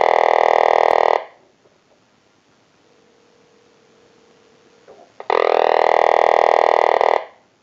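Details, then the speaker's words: Vintage Frog telephone after repair, ring circuit redesigned to sound more frog-like instead of the original tweeter chirp, rung by calling from a cell phone; two warbling bursts about one and two seconds long with four quiet seconds between, croaking cleanly. "We also redesigned a circuit so that it sounded more like a frog on a ring cycle than just a tweeter type noise that you heard on the ring cycle earlier in the video, and installed a line cord for the unit."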